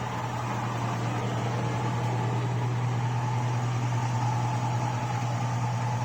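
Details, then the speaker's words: 2002 Avalanche LS 5.3 with newly installed stock GM lifters, replacing Comp Cams Evolution, 5W-30 synthetic, hot after errands on a roughly 90-degree day: steady low idle with light quick ticking; hydraulic lifter tick, louder as oil thins. "the hotter it gets the hotter the oil gets the thinner the oil gets the more you hear them"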